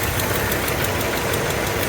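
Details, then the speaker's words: Mopar engine at steady idle: a soft, rapid puffing chug rides on the exhaust note, a minor exhaust leak present ever since the car was acquired. "you hear that there's a chugging noise tells me there's an exhaust leap it's pretty minor and it's been going on ever since we've had it"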